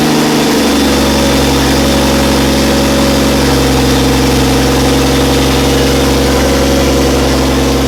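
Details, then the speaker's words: Barra turbo six in a 45/80 Landcruiser, first-ever start on fresh 5W-40 oil after turbo oil feed checked: catches and settles into a steady, even idle with a smooth constant drone and no knocks or misses. "so fired up well for the first time"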